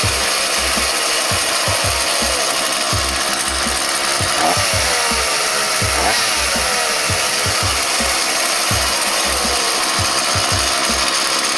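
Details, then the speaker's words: Homelite UT series chainsaw after carburetor replacement (tune-up), biting through wood: high, steady two-stroke scream holding speed, no stumbling or bogging; normal running under load. "there you have it chainsaw tune-up sounds like a champ"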